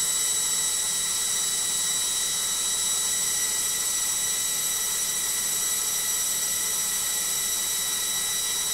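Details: LOGIK washing machine on final spin: a loud, steady high-pitched whine over constant hiss with no let-up. The spin is noisy and the cause is not identified.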